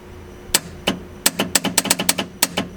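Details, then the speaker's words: Eight-turbo V8 Mustang, Nitrous Express install after rewiring the relay to 12 volts from switched ignition: sharp dry clicks in quick irregular bursts over a quiet background, nitrous solenoids opening and closing normally as the Holley would trigger them. "that's that's that's the clickety noises"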